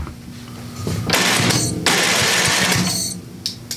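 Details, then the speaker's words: Craftsman 27-inch snowblower with a Briggs & Stratton 8hp OHV engine that was dead. The electric starter whirs, cuts out abruptly, catches briefly and drops out again. "well went off yes it just keeps doing that i think something just about happened we might have another starter"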